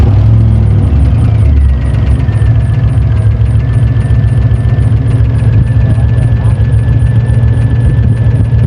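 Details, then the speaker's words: Truck's LS swap with a swapped intake: rough, heavy idle with fast ticking and a steady high squeal on top. The squeal is confirmed as the belt; a big air leak in the engine was also found. "The squeaking is definitely the belt."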